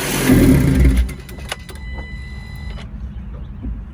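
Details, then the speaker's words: Salvage 2019 Ford Transit Connect being rebuilt: cranks and catches, brief loud burst, then weak uneven idle that stumbles and struggles to stay running; owner attributes rough running to vacuum lines and other items still needing work. "so good news it starts bad news it's having its issues right here is one of them this and that and this out right here"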